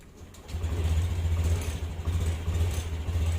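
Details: Motorcycle with a homemade touch-sensor anti-theft circuit (SCR 2P4M, 12 V relay) started after touching the sensor contacts: quiet, then fires and settles into a steady, even low idle with no misses or knocks; normal start.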